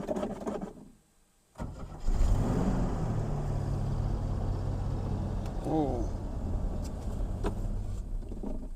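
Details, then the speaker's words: Ford XA Falcon being revived for its first drive in about 16–17 years, engine still cold: low, steady starter churn around four beats a second for several seconds without firing; cranks but won't start cold. "Okay, we're still a little cold. That's okay. Let's go again. Little more choke, maybe."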